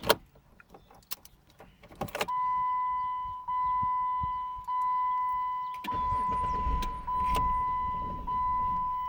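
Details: 2008 Jeep Commander, hot restart soon after a long drive, fails to start until 10–20 minutes later; a steady high-pitched tone pulses about once a second with no firing and lasts until the key is removed. Starter and ignition switch already replaced; cause unknown.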